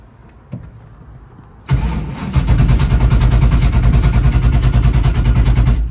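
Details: Ford GT40, stored over 20 years, on its second start after a dead battery. Steady cranking at about three beats a second for four seconds never fires, with fuel pressure reading max. A TPS reset is doubted; the cause is unconfirmed.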